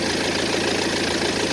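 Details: 2010 BMW 118d E87 with N47 diesel, 178,000 km, at idle: fast, even clatter on top of the diesel hum; the timing chain train was torn down and found absolutely OK, so the real source remains unknown.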